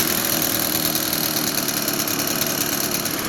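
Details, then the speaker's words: Echo PB-580T backpack blower after fitting a new cylinder (about 120 PSI compression), carburetor left slightly rich for break-in: two-stroke idle with an uneven, stumbling beat. The idle is slightly rough and the idle speed seems a little slow. "well it doesn't idle quite as smooth as I would like"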